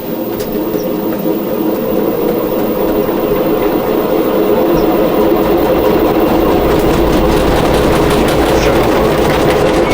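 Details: LG ventless washer/dryer combo running with clothes loaded, before bearing and seal replacement: loud rough rumble with rapid clacking about four per second growing as drum spins; worn drum bearing. Owner also questions whether a part tilting far back needs replacing.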